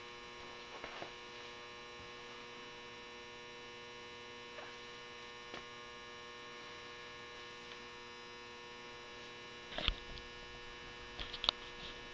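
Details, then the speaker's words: Hubbell 400 W metal halide lamp starting up. Steady mains buzz from the magnetic ballast with a few faint clicks while the arc tube warms. Normal ballast hum. "that sound the buzzing sound you hear is the ballast resistance to Transformer buzzing away there"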